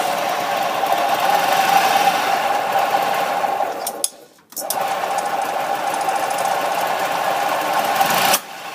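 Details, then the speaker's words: Newly installed rebuilt EZGO 295 golf cart engine, runs well with no smoke, but a constant high rattly whir and thin tone; owner suspects a bearing grinding noise, not from the generator, which runs quiet when removed. "i just don't remember that kind of a grinding noise bearing noise"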